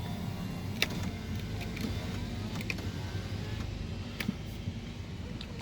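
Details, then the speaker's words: 2014 Mercedes-Benz SLK200 R172 test drive on unpaved road after retightening loose suspension bolts and nuts: only steady tyre and road rumble, no clunks or rattles; underbody noise over rough roads fixed. "일단은 제가 점검 해 보니까 볼트가 쭉 100 필 있어서 그런 그것만큼 조인 상태에요 그리고 지 소리가 좀 안 나고 있어요"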